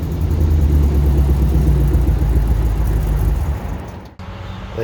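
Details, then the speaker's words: LS-swapped Ecto-1 replica, exhaust clip while blipping the throttle: deep V8 rumble with heavy, uneven crackling pops; it also won't shift, and owner suspects a bad tune, not confirmed. "you can tell like all the popping so it's popping really bad it sounds like there's something wrong with the tune for sure"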